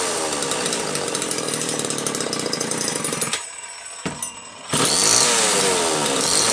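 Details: Homelite XL-2 chainsaw, test run just after repair finished: steady high buzz, brief drop to idle, then snaps back to a clean full-throttle scream. Normal, healthy running.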